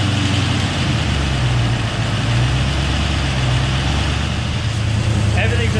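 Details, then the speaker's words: Engine after repair with replaced crank, new bearings, Mellings high-pressure standard-volume oil pump, ARP head and balancer bolts, fuel injection: steady, even, smooth idle with no knocks or misses. Running much smoother than before; a slight lifter tick is possible until oil pressure builds. "right it's fired up so much better it's running so much smoother than it ever had"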